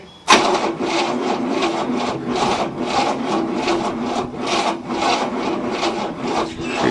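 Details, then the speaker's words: 1967 Cadillac, not started in 30 years, on a second battery: engine turns over slowly and laboriously about two compression strokes a second and never catches; cranking too slow to start, starter motor then removed; timing/firing order also suspected. "spinning but [Music] it's just not cranking fast enough to start"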